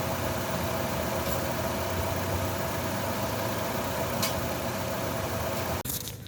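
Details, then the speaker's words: 2011 Chevrolet Lova petrol just restarted after carbon-cleaner decarbonizing and spark plug cleaning, listened to for remaining knock. Steady idle with only a faint light injector ticking and no real knock; the engine sounds healthy. "Ini mesinnya udah nyala, coba kita dengarkan knockingnya masih ada apa enggak."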